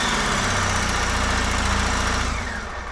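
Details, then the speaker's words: 1999 Honda Valkyrie Interstate flat-six, sat for years, carburetors being worked on: lumpy, uneven idle with irregular beat and stumbles, not firing on all six; misfire suspected, fuel leak found at carburetor fuel tee on right bank. "let's try that well what am I reaching up there for I don't think it's running on all six either"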